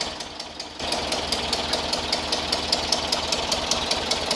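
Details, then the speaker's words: 1976 VW Westfalia Type 2 bus, used engine just swapped in, first start: sharp, light, steady tick over a quiet air-cooled idle. Believed to be hydraulic lifters pumping up; possible small exhaust leak also suspected. "It's got to pump up the lifters, so the clicking that you're hearing is from the lifters. Should be."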